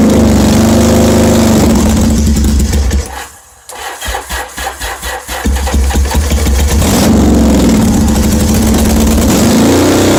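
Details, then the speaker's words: 1981 Yamaha XS850 Special, carbs just refitted, first start on full choke on a cold snowy day, no exhaust tips: fires then stumbles into uneven pops and won't settle to idle; owner suspects it's just too cold. "it's starting up but it's not idling maybe it's just too cold"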